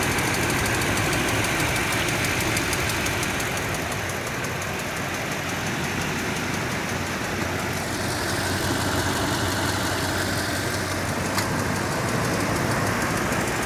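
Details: 2007 Toyota Tundra 5.7L V8 at about 170,000 miles, warm idle. A light rapid tick, mostly on the driver's side and only after warm-up. It is inconsistent at first, then ticks in step with rpm; cause not identified.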